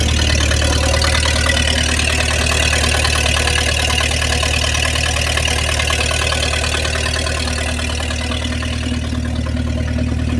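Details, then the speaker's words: 1953 Packard straight-eight, cold start after sitting, carbureted, in park. Steady even low rumble with quick regular beat, no misses or knocks; idles cleanly. "okay i hope we can hear how cool this thing sounds"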